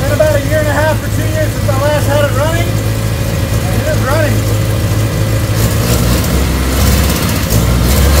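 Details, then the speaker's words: 1979 Triumph Spitfire, sitting since about 2005, first start after cleaning the engine ground and with choke pulled: fires up easily, low steady rumble settling into an even idle and picking up cleanly when revved. "cannot believe that thing fired up that easy"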